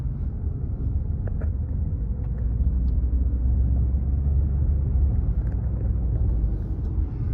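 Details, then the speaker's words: 2015 Toyota Venza, after refitting a rear heat shield that rested on the spinning rear driveshaft: steady low road rumble while driving, no clanks or rattles from the rear; rattle fixed. "okay so we're driving there's no vibration nothing on the back nothing at all"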